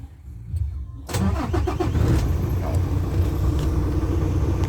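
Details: Isuzu 6WF1 truck diesel after repair for hard starting (two PCV valves had stuck plungers, causing over-pressure; no fault codes): brief crank, catches at once and settles into a steady deep idle; normal start.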